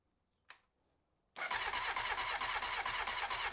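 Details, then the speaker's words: 1993 Honda CBR900RR, first start attempt: starter churns steadily at roughly two beats a second but never catches; line from pump to carburettors empty, no fuel reaching them. "I don't think the fuel pump is pumping because if it were pumping we have fuel we'd have fuel there in that line after the after the fuel pump line to the carburetors would be have fuel in it"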